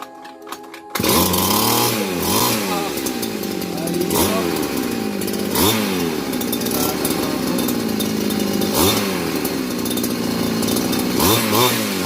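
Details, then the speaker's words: Grass cutter (small two-stroke, gasoline) that would not start despite fuel and spark; after the carburetor was primed with gasoline and the unit taken apart, it now starts and revs cleanly in repeated swells, running normally. "Okay na mga lods. Bandar na. Gagawin na."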